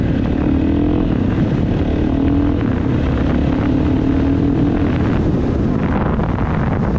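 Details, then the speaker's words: KTM 450SXF (2015-2025 model) after a transmission repair for a failed 5th gear, test-ridden: steady, even single-cylinder drone with a clean firing note, no knocks or rattles. Runs normally, all five gears feel good. "there well that is pretty much it she is up and running all five gears feel good"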